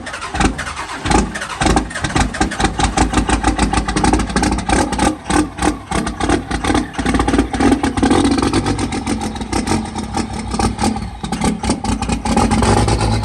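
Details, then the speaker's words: Diesel truck from Florida, possibly without a grid heater, on a cold start in cold weather: a long crank with rapid uneven chuffs, then it fires and stumbles along with a lumpy, irregular beat; it runs unhappily and the cause is not confirmed. "okay so it started but uh it doesn't like it it started but it does not it's not having a fun a fun day of running it's not happy"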